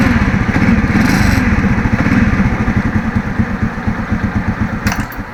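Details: Engine whose starter had sounded as if stones were inside, after Bendix drive replacement: engine catches and settles into an even beat of about four pulses a second, with no stony rattle from the starter.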